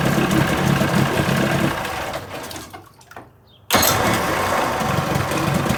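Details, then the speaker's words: 1980 Chrysler 45 hp two-stroke outboard with crank-no-start complaint, new spark plugs: cranks, briefly quiet, then catches into steady even idle with no misses; likely the owner skipped the fast-idle warm-up lever. "again there's nothing wrong with this i don't know over the season so wow you know i almost wish there was something wrong with it"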